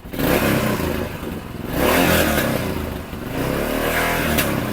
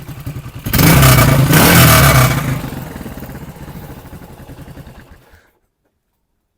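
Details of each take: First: Yamaha XT500 fitted with a new Mibu Tech replica 1976 exhaust header: deep, even thumping from the single cylinder rising and falling with throttle blips, no tinny rattle; normal running. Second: Yamaha XT500 at stationary idle with a stainless replica exhaust header: it blips hard, then settles into a loose tinny rattle on every firing pulse. The exhaust rattles.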